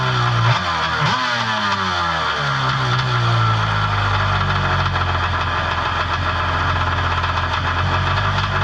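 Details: Personal watercraft two-stroke with Mikuni carb: buzzy idle swings up in pitch early, then settles into a steadier, higher idle as the low-speed mixture screw is turned in.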